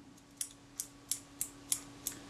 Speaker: well I've just cleaned and polished the blades cleaned the mechanism plate lubricated the mechanism plate a little bit of graphite powder and then action is smooth